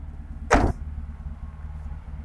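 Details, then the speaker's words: Car engine after the failed crankshaft pulley was repaired by welding and refitted along with the electric fan. A sharp clack, then a low, even, quiet idle with no knocking or wobble; smooth as normal, the welded pulley spins centred. "dicoba ini ya untuk ee suara mesinnya halus seperti normal seperti biasanya padahal kondisi pulinya udah itu ya pulinya udah las-lasan"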